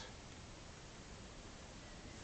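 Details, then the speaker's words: Tempest TEQ-3302 radio cassette on mains power after repair, volume at minimum: only a faint steady hiss with no hum. The low-level hum was cured by replacing a faulty coupling capacitor. "as you can see it's back together and there's the volume control at minimum and it's quiet is amiss"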